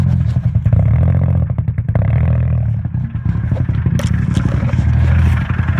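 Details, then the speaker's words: 2007 Pontiac G6 V6: rough idle with a heavy, uneven clatter and knocking, loudest low down. White exhaust smoke said to be water vapour. Damage is suspected at cylinders 2, 4 and 6 on the front bank; the exact cause is uncertain. "tell me something was in the engine but not for certain what it is exactly"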